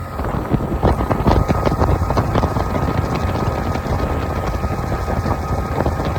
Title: 60 Honda had bad fuel pump replaced fuel pump good running good now! #hondamarine #customboats